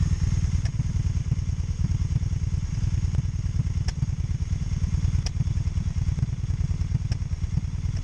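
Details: 2002 Honda Magna VF750C during rebuild: lumpy, uneven idle with a loose irregular beat and occasional sharp ticks; one side seems fine while the other sounds like it is dropping cylinders, cause suspected, not confirmed.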